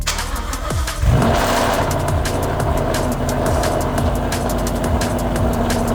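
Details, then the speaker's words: Supercharged Mustang, tune still being dialed in, AFRs around 14, EVAP sensor removed: starter whirs briefly, then the engine catches and settles into a loud, fast, even cold idle with no misses or knocks; normal cold start. "quite a loud cold start but as you guys can see she is running everything sounds good everything looks good"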